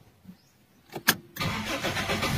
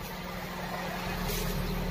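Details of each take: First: Toyota Big Body GLI cold start: short crank, catches, idles low and shaky around 400–500 rpm instead of about 1,000, misfiring then stalling; faulty coolant temperature sensor disabling cold-start enrichment, hard starting. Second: Toyota Corolla Big Body GLI after ECT sensor fix for failed cold start, hard starting and misfire: warm engine at normal temperature idles steadily around 800–900 rpm (about 1,100 rpm cold), no stumble or hunting; normal warm idle.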